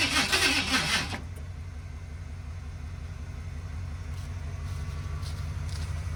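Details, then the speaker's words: 1978 Ford F-150 plow truck, carburetted and rebuilt, after sitting about a year with bad fuel: a loud crank fades into a slow, labouring, uneven churn on a weak battery that never catches, though fuel is reaching the carb. "that battery is not happy all right we are most definitely getting fuel up at the carb so we're going to try it again"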